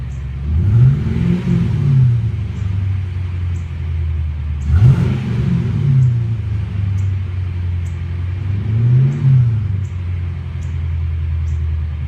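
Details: 1998 Ford Mustang GT revving with a lumpy, uneven stumble and pops breaking up the exhaust note on each rev, engine misfire.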